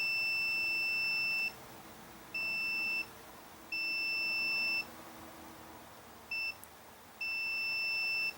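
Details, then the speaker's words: Sears Suburban SS14 garden tractor, Briggs & Stratton engine that won't shut off by key. Key switch continuity test: the meter's steady beep cuts in and out irregularly as the key is worked, so contact is intermittent. Cause suspected, not confirmed. "we should have continuity okay there I'll have some but my issue is what you want to move the key around"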